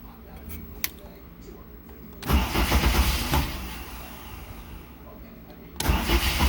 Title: Jet size 1.0 mm 50 deg - No Start!